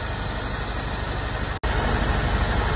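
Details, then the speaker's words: Rolls-Royce Silver Shadow at steady idle after running a couple of minutes, following a bridged-resistor repair: a faint light valve tick about three times a second, now quieter, hopefully because oil has circulated. A warning light is still on. "the brakes do work but the light's coming on so and it's quietened down a bit so obviously hopefully the oil circulated"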